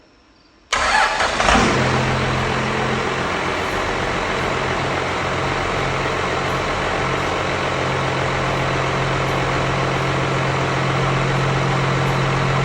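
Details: 12-valve Cummins swap: engine catches instantly and settles into steady smooth idle with even low hum; normal start and idle.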